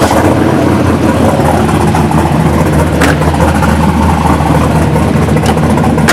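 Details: 1983 Buick Regal with fresh LS1 V8 swap, MS3 camshaft, 5.3 truck heads, mid-length headers, dual 3-inch exhaust with SLP Bullets, TH400: deep steady choppy loping idle from the big cam, even and strong; healthy cammed engine.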